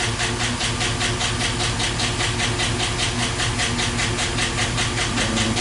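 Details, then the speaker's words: 2012 Chevy Silverado, 5.3 L active fuel management engine, at steady idle: an evenly timed sharp ticking at about two and a half per second. The cylinder 4 intake valve lifter has collapsed and is not pushing its rocker arm. "number four take take the leaf there on a intake valve it collapsed and it's not pushing the rocker arm"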